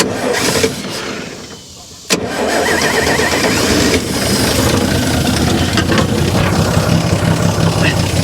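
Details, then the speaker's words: 1955 GMC 350 grain truck, fuel poured in by hand while the starter is jumped with a screwdriver: an uneven chug about three beats a second, briefly catching then dying. Fuel starvation: it is not fed fast enough, and then it floods. "having a hard time feeding her gasoline guys let's try it again all right damn it i drowned it is what i did"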